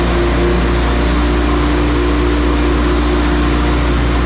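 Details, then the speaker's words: Small diesel mower that used to shut off on PTO engagement, after fitting time-delay relay: steady, even drone holds speed with blades engaged, no stumbling or dying; fixed and running healthy. "here we go oh yeah there it is it's working"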